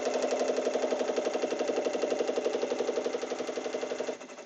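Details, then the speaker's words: Embroidery machine stitching a baby basket project in the hoop: fast, even knocking at nearly four beats a second over the stitching hum as the design runs too close to the hoop edge; the design must be shrunk. "so as you can see look how close that is to the edge of the hoop that's not good you hear it knocking"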